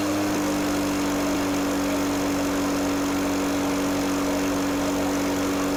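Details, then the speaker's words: Echo PB413H backpack blower two-stroke with aftermarket Chinese carburetor, tach reading about 2600 rpm idle: constant even buzz holding one pitch, no hunting or sputter; normal idle, smoke likely over-oiled fuel burning off. "It's saying about 2650, 2600, about 2600 idle."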